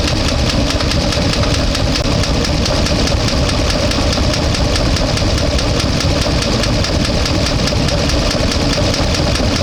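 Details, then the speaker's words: 1-ton truck with LS engine, warm at about 200–205°F, low oil pressure suspected from stuck-open oil filter relief valve: loud rough chattering idle with steady clatter, owner suspects a collapse and a bad misfire; nothing leaking. "still making noise sounds like a collapse um or something like that uh it's bad Miss"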